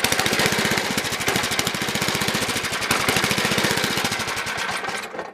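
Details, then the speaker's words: Toro 724 two-stage snowblower, 7 hp engine, unrun about 2 years, new fuel line, on choke: uneven chugging around four beats a second, lumpy then dying; rough running, owner suspects carburetor needs tuning or removal. "I think that carb's got to come off."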